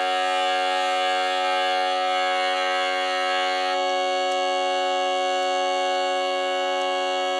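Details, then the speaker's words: Jensen V21 upper driver, steady held tone with a raspy bumblebee-like buzz that persists after adjustment; diaphragm worn out, buzzes at certain frequencies, no longer usable. "so even though I was able to get out some of the buzz I can still hear the buzz in there this lets me know that this diaphragm the shot I can't use this anymore"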